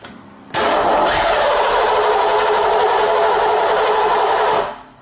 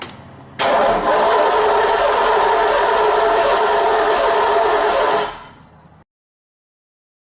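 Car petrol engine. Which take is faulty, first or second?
second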